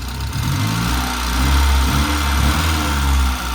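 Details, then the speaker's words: Saab 900 Turbo project car just started, idling: light, quick ticking from the top end of the engine; lifter tick, expected to maybe quiet down. "yeah lifter tick again man it's brutal yeah we think it'll quiet down compton than that it's definitely coming from right up here you can hear it now"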